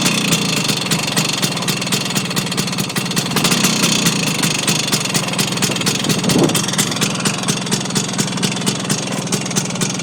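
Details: Vespa two-stroke scooter engine at idle with a steady run of sharp metallic ticks over the buzz, unchanged with the clutch pulled in or any gear selected; the owner suspects engine bearings, source unconfirmed.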